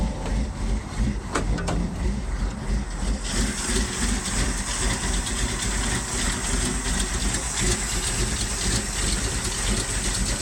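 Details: 1978 Ford F-150 4x4, 351M/400, Edelbrock Performer intake, new Holley 4160 electric-choke carb, Hedman headers, Flowmaster duals, C6 automatic: uneven, lumpy idle right after cold start that smooths out within seconds; rich mixture from choke releasing too late, fixed by adjusting choke to release sooner.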